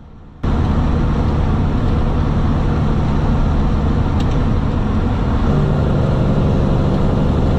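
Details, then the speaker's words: Semi truck diesel, in-cab, decelerating into a lot: a steady drone rising in pitch as the engine is revved for each lower gear, driver pre-selecting gears and covering the brake; a clean, even normal downshifting sequence. "so all right guys that was pretty much the uh down shifting sequence coming into the lot here"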